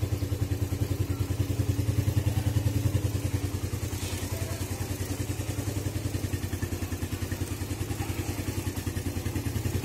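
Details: Suzuki Satria FU single with PE 26 carburetor, cold engine after electric start: steady, even thumping idle about three and a half beats a second, smooth and regular on choke; healthy.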